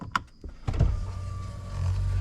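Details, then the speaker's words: 2021 Ford F-250 6.7 Powerstroke diesel, key-on cycles after changing both fuel filters. A couple of clicks, then a low steady electric whir as the lift pump keeps running to purge air from the fuel system. "I still hear it doing stuff so it's going to be trying to work out the air"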